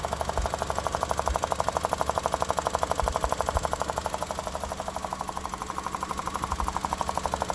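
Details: 2001–2005 Honda Civic EX petrol engine at idle: fast, even ticking-popping knock, traced to a bad fuel injector O-ring (solved).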